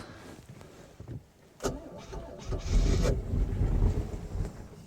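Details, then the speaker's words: 1970s Mercruiser sterndrive with an electric fuel pump fitted after the original pump died; owner suspects the pump overpowers the carburetor float, causing drips: quiet cranking, then the engine catches into a rough but steady run; normal start. "wants to run all right we got a running yeah wasn't that hard"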